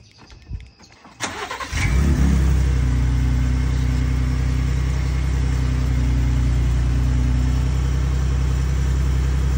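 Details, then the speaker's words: Ford V6 EcoBoost after a fix for wastegate rattle on start-up (clips fitted, wastegate still moves freely): starter catches, firm even high cold idle with no metallic turbo rattle; normal cold start. "It's not gonna cause any problems because the wastegate can still move perfectly freely with those on there. I've tested it. But yeah, it's just enough to get rid of that sound."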